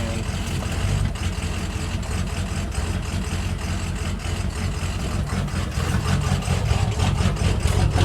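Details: 6.0 diesel running a low tune at idle in neutral: deep, uneven, lumpy pulse with about one stumble a second; it smooths out in reverse. Rough idle blamed on bad tunes and plugged injectors.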